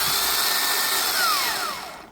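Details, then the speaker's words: Starter removed from a 2002 Toyota Camry with a no-crank complaint, bench-tested: high whir winds down smoothly, drive gear never throws out, indicating an internal starter fault. "the Sha doesn't come out meaning that inside the motor something's"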